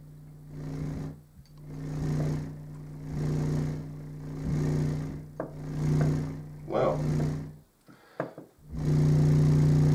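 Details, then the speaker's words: REL Acoustics T3 subwoofer amplifier after replacing six capacitors, fed from an oscillator into a front-facing test speaker: a steady low hum that swells and fades with some handling bumps, no buzz or crackle; the amplifier drives the speaker cleanly. "Got the speaker hooked up and there's no unusual noises coming out of the speaker."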